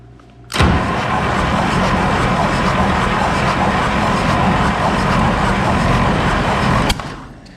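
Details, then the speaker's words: 702 GMC V12 with carburettor removed, cranking on the starter during a compression test: no firing, one stroke lighter; one cylinder reads only 50 psi, owner suspects a burnt valve; engine never sounded quite right. "Well, we got a bad hole, fellers. We got 50 pounds. And I always kind of wondered, I didn't really think it was bad, but it just never did sound quite right to me."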